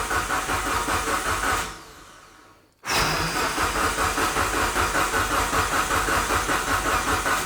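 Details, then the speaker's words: Fully built Mitsubishi Evo 9 engine before first start: starter cranks in steady bursts at about two and a half pulses a second, pauses, then cranks again without firing to prime oil; oil light goes off and oil reaches the rocker arms. "Okay, I need to see if this actually pumped oil into the head now, because that light went off, so that means it's pumping."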